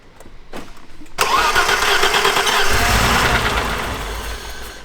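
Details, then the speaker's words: 1989 BMW E30 325is, 31 years old, first start attempt: short crank, engine catches with a rough roar, holds about three seconds and dies; fires but won't keep running, cause not yet known. "Okay, so it has a little bit of life on there, but it's not staying on. I don't know, guys. That just got me very, very excited. I didn't think it would even turn on at all, but it actually turned on for a little bit and then turned off."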